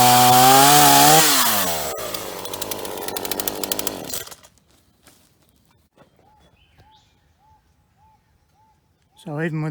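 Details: Ross two-stroke chainsaw after repair and new vacuum hose, cutting dead privet under load: screams at full throttle, pulls down steadily into the cut without stalling or surging; runs strong and healthy, no leaks.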